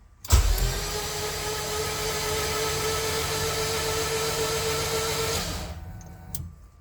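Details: Rebuilt Honda K24 in a CRX, first crank after reassembly with spark plugs out, injectors disconnected and the fuel pump priming: an even, steady starter whir with no knocks or ticks, the engine spinning freely.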